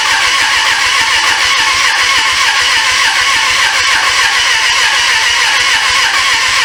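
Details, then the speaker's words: 1996 Suzuki GSF600 Bandit that sat 14 years, carbs cleaned, running off a gas bottle, choke cable stuck: fast, even starter whirring with no firing pulses, never catches. Owner suspects no compression; cranks but will not start. "don't cable get stuck man she spins over fast too like is no compression"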